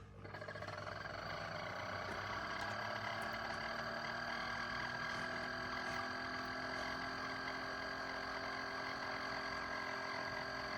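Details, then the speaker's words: Chefman single-serve K-Cup coffee maker gives a steady high buzzing hum with a faint rising tone while brewing, an unusual pump noise; water comes out not very hot. "That is a weird noise. Do you hear it? Okay, I'm not used to that."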